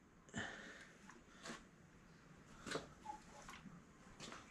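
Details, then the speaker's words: Renault F4R 172 engine during cylinder head reassembly, timing belt fitted and tensioned: crank turned slowly by hand toward the locking-pin position gives soft airy whooshes about a second apart as each cylinder comes up on compression, as expected. "hear the sound of the air coming through I've just cracked one back around again slowly coming up towards the park position which I think is there"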